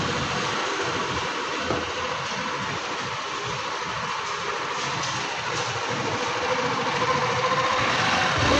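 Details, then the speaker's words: Scooter CVT after repair, cover back on: steady, even idle with light whirr and no rattle or scrape from the belt side; the earlier mouse-like squeak is gone. "Tingnan natin kung mawawala na. Wala na. Tahimik na. Wala na. Parang bago na ulit."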